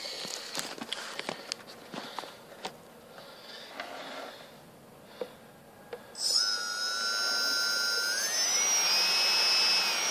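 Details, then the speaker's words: Turnigy Multistar 2209 1200KV upgrade motors on a Blade 350 QX, with carbon fiber props, taped down for a run-up. A few handling clicks, then a smooth whine climbing with throttle. Mostly cooling-port wind is heard, much quieter than the stock motors; normal run-up. "hear that all is mostly what I hear is the wind generated by the the cooling ports on the top these things are super quiet"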